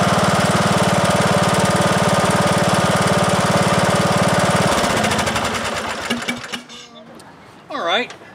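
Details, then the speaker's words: 2003 Simplicity Regent lawn tractor unused for years, after new carburetor, ignition coil, fuel lines, oil change and battery: small engine holds a steady, even beat, then shuts off and coasts down; normal running, valve adjustment may be checked. "seems to be running okay i uh i'm happy with that"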